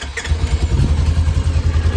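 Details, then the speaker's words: Polaris RZR being rebuilt after burning, started with starting fluid after trouble starting: steady, even low thumping idle with no knocks or misses, running smoothly. "as you may have heard i did get it running it was having a little trouble starting but i just had to throw some starting fluid and it started right up"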